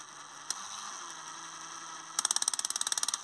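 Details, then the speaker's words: 1960s six-speed 3–12V Meccano motor at 60:1 ratio, held under load: steady whine then fast sharp clicks, three or four a second, from a broken gear tooth slipping; no clutch mechanism to protect gears. "don't know if you can hear that but it clicks I'd like to think that that was actually a clutch mechanism built into the motor to protect the gears but I suspect not"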